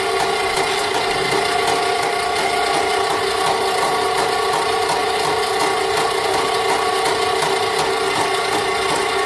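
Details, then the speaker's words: Rental sewer snake clearing a home main line, blockage probably tree roots: steady motor drone with busy rattle and irregular ticking as the cable flips around; took a long time chewing through before feeding on its own. "so you know that time it took quite a bit yeah it took a long time for it to chew through whatever enough to go on its own"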